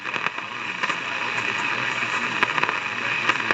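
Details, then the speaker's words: 1953 Crosley AA5 AM tube radio during restoration: steady hiss with irregular sharp crackles and pops; the scratchy noise first thought to be the IF transformers was traced to a faulty tube, and replacing the tube fixed it. "all that noise I thought was the eye of transformers was actually of a tube so I've replaced the tube with another one that scratchy thing was the tube and it's working great"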